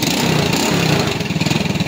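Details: Motorstar Idol 110 motorcycle idling after troubleshooting its primary-type electrical wiring and starting on one click; even, steady putter with no misses, knocks or rattles, runs smooth and healthy.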